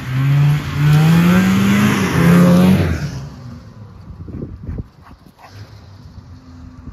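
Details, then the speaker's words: Polaris Cobra 440 two-stroke snowmobile revived; a crisp buzz climbs through several hard revs, then drops to a quiet idle, smoking a little but running well. "oh well got her running smoking machine here runs good sounds good"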